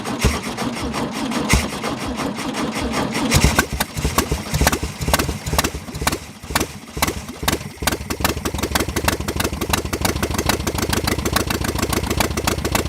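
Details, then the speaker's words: 1966 VW Beetle air-cooled flat-four on first start after sitting, with only half a muffler; catches after cranking into a fast even idle with light rapid ticking. Owner suspects something loose, possibly needing a rebuild. "it sounded a little tacky a little you know it sounded like something might be loose in there you know it might be might need a little bit of a rebuild"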